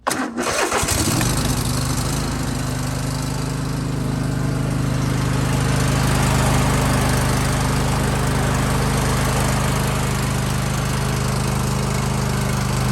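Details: John Deere lawn tractor with a Kohler engine, after a fuel filter change for RPM surging: a slow crank on a weak five-year-old battery, then a smooth, even run with no surging or hunting.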